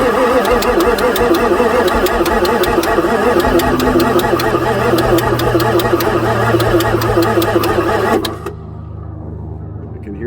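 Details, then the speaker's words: 1994 Ford F-450 7.3 diesel no-start. Slow cranking sags as the battery runs down; injectors were heard starting to fire and oil pressure reached 0.7, but the engine won't start. "I heard the injector start to fire the oil pressure came up to 0.7 my battery's getting lower"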